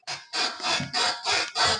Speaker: ഈ ഒരു ഷേക്ക് ചെയ്യുമ്പോൾ കിട്ടുന്ന ഈ ഒരു സൗണ്ട് ആണ് ഈ വണ്ടിയുടെ കംപ്ലൈന്റ് അതായത് ക്രിക്ക് ക്രിക്ക് ക്രിക്ക് എന്നുള്ളത്